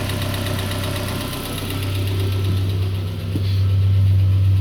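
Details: Peugeot 407 2.2 petrol, cold, after ring replacement, valve lapping, new valve stem seals and cleaning of extra-air channels, Total 9000 5W40 oil: steady idle rising with revs, regular knock about four per second; source unknown.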